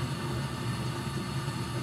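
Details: Gas furnace being checked for short cycling (possible dirty filter, open limit switch or dirty flame sensor), safety switch held closed, all burners lit, blower running: steady low hum and even unbroken roar, no clicks or dropouts; flame holding, normal running.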